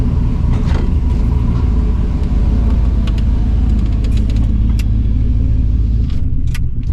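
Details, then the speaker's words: 2005 Silverado with junkyard LS swap and Truck Norris cam, first drive with the tune unfinished: deep, loud, uneven rumble with a choppy loping idle. Rough idle from untuned camshaft. "It's going to be a little rough in the beginning till we get a good tune going."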